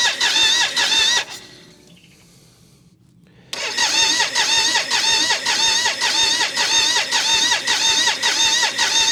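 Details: Custom BMW K75 cafe racer after ignition rewiring, with fuel now pumping: steady starter whirr with a regular pulse near two per second, engine turns over but never catches.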